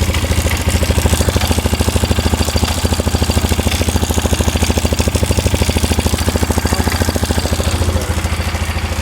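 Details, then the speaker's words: 2001 Polaris Scrambler 500 2x4 just started after a no-spark repair: steady single-cylinder idle thumping about three times a second with a tinny rattle on each pulse coming from the exhaust outlet end; gearbox rattle also suspected. "uh the exhaust. It's coming off the exhaust. Yeah, it's coming out of the exhaust. Like the uh end of the exhaust right there."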